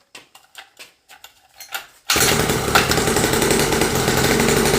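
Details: SSR 49cc pocket bike two-stroke after the seizing engine was replaced with a new engine: after a few pulls it fires and holds a steady, even buzzing idle with no knocks or rattles; runs healthy.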